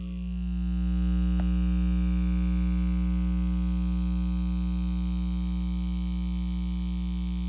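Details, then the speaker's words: Soundstream Reserve micro car amplifier picking up a steady low drone with a faint buzz; owner traces it to a battery charger running nearby, usual without noise, and suspects the amp lacks input-side filtering. "so this is a noise I'm getting through this amp but it's coming from the charger that's charging a battery but I have that going all the time and I usually don't get this noise"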